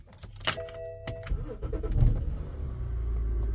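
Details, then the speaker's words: 2010 BMW X5 E70 30i that was going into limp mode with a rough idle, first start after all six ignition coils and spark plugs were replaced. Short crank, then a smooth, even idle, and misfire counts read zero. Normal idle. "oh God it's running so much better now"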